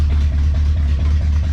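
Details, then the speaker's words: 1972 Dodge Challenger after fuel system work, exhaust partly fixed: deep lumpy V8 idle with loud exhaust rumble and uneven pulses; rough idle, owner suspects no accelerator pump and overdue tune-up. "oh i fixed the exhaust a little bit still loud but it sits there it idles"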